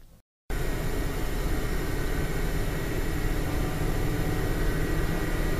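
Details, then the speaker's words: Gaming PC built around an APU, heard at idle: steady loud rushing whoosh of fans spinning hard because the temperature sensors misread, making fan profiles hard to tune quiet without overheating. "Number one, it's extremely loud and extremely difficult to configure the fan profiles to get it quiet without overheating, just due to the fact that the temperature sensors don't work properly."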